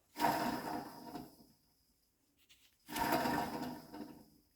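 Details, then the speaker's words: Removed rear wheel bearing from a BMW 330 E46 track/drift car, spun twice by hand, gives a coarse gritty rumble and has end play; it is worn. "clearly hear that it's in bad shape. And it also has some end play. It shouldn't be like this. Sounds bad"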